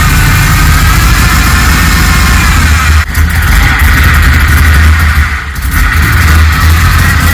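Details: Rebuilt Holden VT Clubsport V8 on first start-up, base timing set, bigger injectors, running rich. Loud, lumpy idle with an uneven low beat and occasional stumbles, like one cylinder dropping out; owner suspects the cleaned, previously failed spark plugs. An injector was later found leaking.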